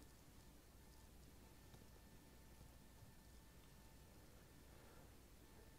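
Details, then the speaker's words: JK Mic J044 omnidirectional stereo lavalier on Rode Wireless Go 2.4GHz transmitter, five seconds of silence: low steady hiss with a faint thin whistle coming and going; suspected wireless interference. "Typically, I've had the issue where I hear a little bit of, interference and stuff like that."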